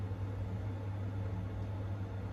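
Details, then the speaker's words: Worcester 28i boiler with no heating or hot water: only a constant low fan hum, no spark clicking and no burner lighting; fan runs but no ignition, caused by a tripped overheat cut-off stat. "but then nothing else after that just sits doesn't even try and spark when i got here the fan was running and it was just doing nothing and it's the same for the hot water"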